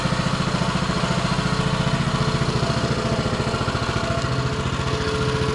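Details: Baja Warrior mini bike, single-cylinder, cold weather: off choke, even quick idle around three and a half pops a second, steady; healthy normal idle, though the exhaust sounds like a lawn mower.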